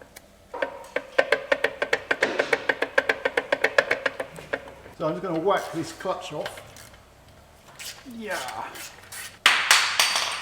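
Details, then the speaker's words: 2014 Ford Mondeo Mk4 2.0 diesel, dual mass flywheel removed during clutch replacement: rapid metallic clicking at about five per second, then loose rattling and scraping as it turns; badly worn flywheel. "but just listen to this dual mass flywheel how badly this is worn out"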